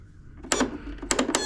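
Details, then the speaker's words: John Deere E140 riding mower, parking brake set: key held gives sharp paired clicks from the solenoid but the engine never cranks; safety switches likely good with 12 V at the solenoid; suspected bad solenoid, starter or ground. "when I hit the key you can hear some clicking coming out of the selenoid here what that is telling you is that likely the safety switches and everything are good"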